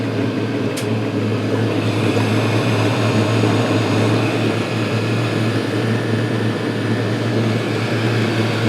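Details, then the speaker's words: Chinese 5-7kW 12V diesel air and water heater running after start-up, glow plug off, internal water pump just switched on, drawing 5 A at 11 V: steady low hum, constant fan whir, faint pump drone; running normally, warm water flowing. "Okay, now it's up and running."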